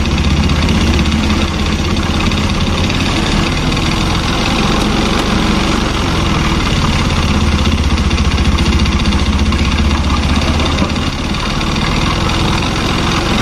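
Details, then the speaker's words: Honda Beat injection scooter, 2013–2014, recently acquired, engine condition unknown. A loud, uneven, coarse irregular chatter at idle and under throttle: rough running. The mechanic suspects the front engine or piston area, with the CVT not ruled out. "kebetulan suaranya nih bisa teman-teman dengerin kita analisa bareng-bareng suaranya Kasar banget gas ya suaranya kasar"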